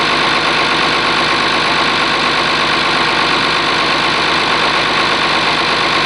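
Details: Oliver 1850 diesel tractor idling after a cold start, gauges showing charging: steady, even clatter with no knocks or misses, idling warm. Normal diesel idle.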